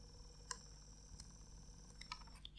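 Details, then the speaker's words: Sony D-ES51 Sports Discman sold faulty, with ribbon cable reseated; disc reads its 16 tracks but won't play, faint irregular ticks as the pickup keeps hunting; laser suspected burnt out. "okay so it's read the disk is it gonna play no i can hear the laser trying to read it"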